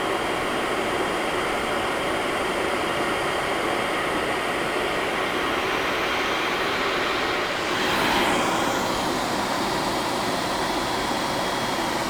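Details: HP EVA6000 disk storage rack with four full disk shelves at power-on: loud, steady fan roar that swells briefly as the fans spin up, no rattle or scrape; healthy.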